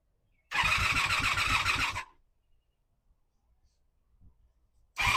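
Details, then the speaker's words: 1985 Honda Magna V30 V4, first start after carburetor rebuild, JB Welded tank and ignition bypass, broken fan unplugged: brief ragged burst of uneven firing with clattery top end, dies and restarts roughly; worse than before the work, cause unknown. "It may or may not be obvious in the video, but this thing sounds like absolute dog It sounds way worse than it did the first time I started it before I worked on it."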